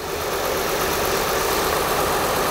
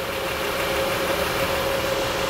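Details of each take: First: 2004 Acura TL 3.2L V6 after engine replacement, first start: quiet idle with slightly uneven, lumpy beat skipping now and then, flashing check engine light; owner suspects a bad coil pack causing one cylinder to misfire. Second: 2004 Acura TL 3.2L after engine replacement and misfire repair: steady, even, smooth idle with no knocks, misses or ticks; check engine light no longer flashing or on.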